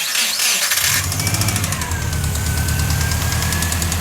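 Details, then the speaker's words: Subaru engine in Ford XA car on dyno after sitting, never overheated, no oil loss or apparent head gasket failure: rough idle with fast regular metallic knock hammering over it; heavy internal knock, broken engine suspected, cause unconfirmed. "Yeah, that's just broken engine. Pretty sure that's just broken engine. Sounds like it's in there."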